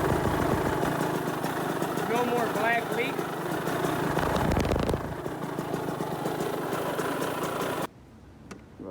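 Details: Kawasaki KX65 two-stroke that would not start, running after two weeks of repairs: muffler packing replaced, exhaust cleaned, air filter oiled, drain plug fixed, oil changed. Rapid crackling putter, steady and even with no misses, little black leak.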